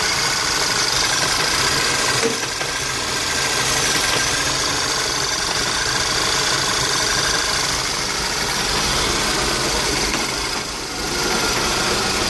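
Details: VW CC with HPA K04 turbo: rough idle with engine shaking, hunting and stumbling in about four uneven pulses a second under a loud hiss; check engine light flashes but clears and smooths with throttle, no code; owner suspects vacuum or exhaust leak.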